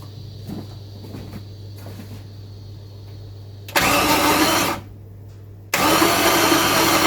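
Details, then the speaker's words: 1965 Pontiac Parisienne fitted with a freshly built 283 Chev, Turbo 350 transmission and Holley Sniper EFI, first crank with the fuel pump not yet sending fuel: two strong, even bursts of cranking with no knocks or grinding. Normal cranking, no firing. "so that is good that beautiful hey what do you think that sounded very nice sounded very nice"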